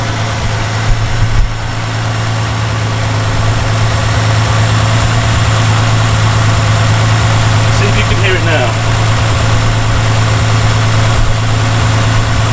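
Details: Reliant Scimitar classic car at idle, recorded on the engine side away from the exhaust, during a second round of tappet adjustment: light, uneven ticking from the top of the engine, about three a second; loose tappets suspected, then adjusted to spec.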